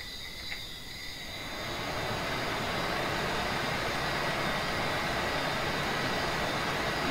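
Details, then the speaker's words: Lvyuan inverter on benchtop power supply during repair (capacitor replaced, thermostat being relocated): cooling fan rush builds then holds steady and even, no rattle; normal fan operation. "you hear the fan is on."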